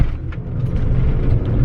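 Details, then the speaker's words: MK4 VW GTI with lowering springs and likely worn shocks/struts, driving: uneven light rattling and buzzing over low road rumble from the interior, cause not pinned down. Interior rattle. "But one of the things is this thing just rattles so much. I'm sure you can hear it on the camera, but there's so much that's just rattling."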